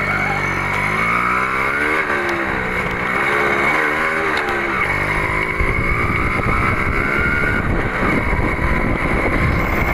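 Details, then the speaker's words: Suzuki Crystal two-stroke motorcycle after engine rebuild (gears, oil pump fitted, oil refilled), previously very rough; crisp buzz rising and falling cleanly with throttle on test ride, no knocks or rattles: normal smooth running. "Kencangkan lalu hidupkan sudah halus kan suaranya ya memang kemarin Kasar banget enggak kita videoin"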